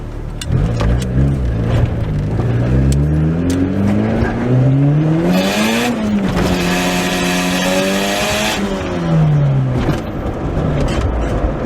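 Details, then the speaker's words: 4th-gen Honda Prelude saved from the scrapyard, built with a turbo, on its first drive, heard from inside during a VTEC pull: the note climbs cleanly and holds high with no stumbles, misses or knocks, AFR good. Normal acceleration. "It pulls so smooth, dude. Like I don't know. Let me see if I can't get one good VTEC pull for you guys. AFR is good, sounds good, feels good."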